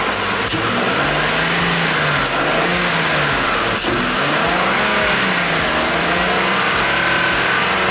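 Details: 2014 Ford Explorer 3.5L after P0019 diagnosis and repair, having run horribly with a misfire: it catches and settles into an even idle under much hiss with no stumbling, though the mechanic suspects it may return.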